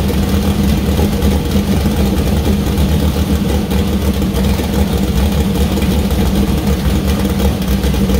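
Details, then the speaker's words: First start of freshly built 2000+HP LS V8 (Dart LS Next block, 4.140 bore Wiseco pistons, Brodix BR3 heads, .750 lift solid roller cam): loud steady idle, even low rumble, no knocks or misses; healthy, minor oil and water leaks. "all right that was nerve-wracking but it runs yeah it runs uh too yeah sounds pretty good"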